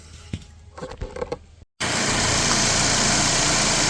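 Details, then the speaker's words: Mercedes-Benz W212 E250 CGI wagon, M271 evo 1.8 turbo four, after replacing a gritty-bearing AC compressor pulley that caused a whine: steady hissy idle with no whine or squeal, after some clicking; normal idle. "I've just got this little trim piece left to go. And I've started the car and tested it out. It is working absolutely perfectly. Look at that. There's the new pulley. There's no more weird wine or noise."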